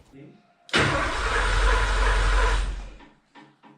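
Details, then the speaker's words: Porsche 928 4.7 litre K-Jetronic V8 sat 20 years, cranked repeatedly while fuel pressure gradually raised; starter whirs evenly about two seconds, engine turns over but never catches; no fuel getting through, crank no-start. "so Matt gradually increased the fuel pressure and we cranked the bugger a dozen times or more until I was stressing about the starter motor in the"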